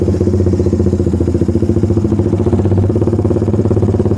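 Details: Suzuki Satria FI150 with aftermarket header exhaust, at low revs: exhaust note pulses unevenly, roughly three beats a second, a choppy stutter (brebet) instead of a clean pull.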